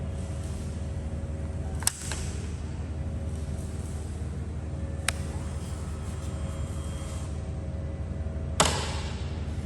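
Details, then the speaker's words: KTM Duke 390 Gen 3 (LC4C single) recorded on phone microphone: steady, even low thrum at idle with light combustion clatter, no misses or knocks; normal healthy idle. "so there you have it uh that was the idling engine noise I mean idling engine sound from this motorcycle and uh I hope that gives you an idea of what it should sound"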